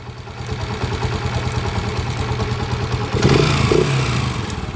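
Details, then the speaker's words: TMX 155 pushrod motorcycle engine idling roughly with a loud, uneven metallic clatter, about three knocks a second, louder on a rev; mechanic suspects noisy timing gear, also to check cam follower, pushrod, tappet screw and valves; unconfirmed. "Okay. Sobrang ingay na nung kanyang timing gear. Ayan timing gear."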